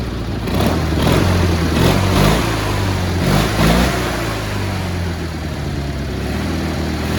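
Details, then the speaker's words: Cub Cadet 1430 garden tractor, sat abandoned for years, just fired up: uneven loping, stumbling running with a misfire on one side; plugs later found fouled and idle screw fully out, choking it; carb tuned and new plugs fitted after. "here I'm like gassing myself right now little misfire on this side but she's running pretty good actually"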